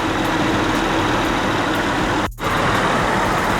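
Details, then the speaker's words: 2004 Honda Accord LX V6 after replacing radiator and AC condenser fans, engine idling with AC on: steady, even whoosh of both fans over a smooth idle, no rubbing, ticking or wobble; both spinning normally. "Look at that. Both of them spinning. So, that's the end of the install, guys."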